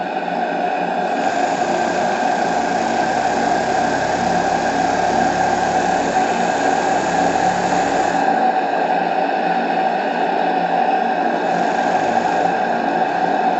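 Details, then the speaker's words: Model steam engine (FBI) on live steam from a restored vintage boiler, about 2 bar with stop valve and damper valve as in a boat: constant airy hiss, steady running, reversing works though hard to adjust and not perfect; normal running. "bah écoutez cette machine fonctionne c'est pas c'est pas la perfection mais comme c'est très difficile à régler"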